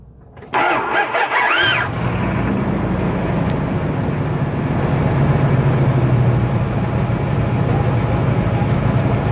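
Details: 1997 Dodge Ram 1500 5.9 (360) V8, two-wheel drive, phone under the truck; brief rising-falling 'wah' whine as the engine catches, fading quickly into steady idle; cause unidentified: whine on engine start.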